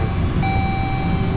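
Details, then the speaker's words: Vehicle with about 126,000 miles, engine started after repair work, radiator not yet installed: short, steady, even idle with a smooth low rumble and no knocks or misses; it runs better than before. "that thing i can just hear it you can hear it runs better"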